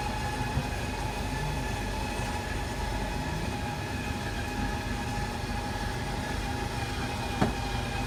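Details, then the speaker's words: RV slide-out (bedroom, with mattress) extending under power: steady, even electric motor hum, no grinding or catching, run until fully seated. Normal slide-out operation. "now the slide outs go out."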